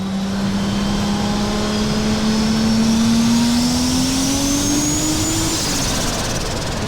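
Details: Toyota 2JZ-swapped BMW E36 on test drive at 0.5 bar (7 psi) boost after adding surge tank: engine note climbs smoothly under load with rising high turbo whistle, pulls cleanly; healthy turbo engine under boost.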